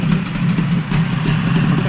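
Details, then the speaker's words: Yamaha 20A two-stroke outboard (1972–1978), cold after service, no water pump: low uneven smoky burble sagging and recovering, idling slightly high then falling; rough idle, stalls shortly after, cause unconfirmed. "squeeze the f a little bit more little bit Smokey but two stroke oil mix does sound like it's going to stall"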